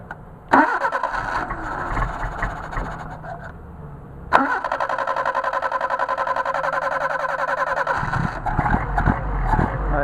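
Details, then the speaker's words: Mercedes 190SL with freshly rebuilt, machined late-style Solex carbs, engine still warm: long steady cranking that stumbles and barely catches; flooded by two extra accelerator-pump shots of fuel plus choke, where one pump would suffice. "flooded it it's not what I intended to do I did not need to give it the extra two shots of fuel beforehand and then choke it"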